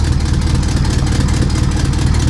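Steady idle with a rapid low puffing pulse riding on each firing stroke, the chuffing of a big exhaust leak.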